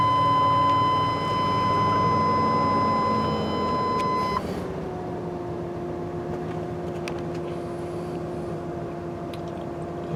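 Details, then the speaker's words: 2000 Chevy 3500 7.4 L, 21 years old, serviced regularly, everything works; after start, engine comes down from fast idle to smooth, even hum, no knocks or ticks; oil pressure good, alternator charging; healthy idle. "Oil pressure's good. Alternator charges."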